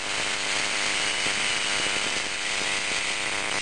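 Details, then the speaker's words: Running hard drive with clear Elmer's glue poured on the platter: harsh scraping hiss with fast ragged ticking as the drive strains and won't speed up all the way; hard drive spindle dragged by glue drying on the platter. "it's working though it's not it's not speeding up all the way though is it ATT to it it's trying to speed up all the way"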